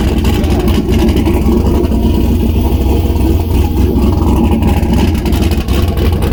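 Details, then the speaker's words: Turbo LS Miata with new downpipes, O2 sensor bung not yet installed: loud, deep, uneven ragged exhaust at fast idle, smoking; running rough but not bad. "uh obviously there's I still have to drill uh a hole and put a bung in for the O2 sensor so it's not very happy right now but it's not bad"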